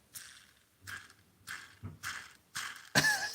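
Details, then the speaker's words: Aftermarket AliExpress knob bearings on a Daiwa/Shimano baitcasting reel, knob spun by hand: short, hissy, gritty rasping whirs from noisy cheap bearings. Original Shimano and Daiwa bearings never had issues. "I have not ever had an issue with Shimano or daa bearings I've had an issue with AliExpress uh aftermarket real knob bearings hear"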